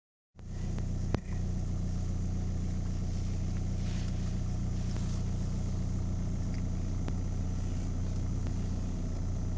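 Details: VW TDI diesel with AVF engine idling after PD injector replacement: heavy low rumble with light, fairly quick ticking throughout.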